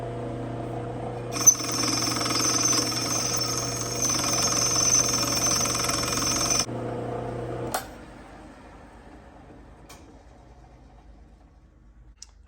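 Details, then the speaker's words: Lathe turning down a five-hole Indian Larry Harley derby cover for a three-hole primary: harsh rapid chatter, about three clicks a second, over the spindle hum as the cut breaks into the bolt holes, an interrupted cut. "So, because I'm breaking into those bolt holes, I get what you call an interrupted cut. That interrupted cut is making that clicking sound."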